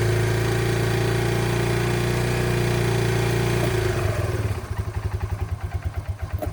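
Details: Yamaha Breeze 125 (Grizzly 125) ATV, first start after about two years in storage, fresh gas and choke used: steady single-cylinder running settling into a slow, even putter with no misses or knocks; running healthy.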